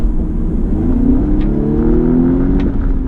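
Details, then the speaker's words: 2019 Audi S3 sedan, stock exhaust, accelerating in dynamic mode: smooth engine note climbing steadily in pitch, exhaust subdued and even; peppier but quiet, owner plans exhaust modifications for more sound. "It's definitely a lot more peppy, but it's quiet. Like you need to really do modifications to the exhaust, which we are probably going to do very soon."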